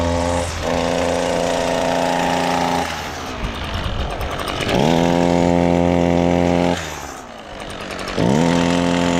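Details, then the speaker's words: Echo SRM-225 two-stroke string trimmer: revs in three bursts but climbs sluggishly and bogs down at modest speed; cause is a clogged exhaust screen. "First thing I'm going to do is, if your trimmer is making this sound, it's going to be the exhaust screen."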